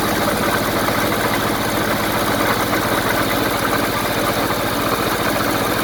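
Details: 1974 Honda Civic series 1, 1.5 L engine idling after coolant flushing with the pressure tester removed: steady, even idle with a regular low pulse and no misses, knocks or rattles; good compression, sounds healthy.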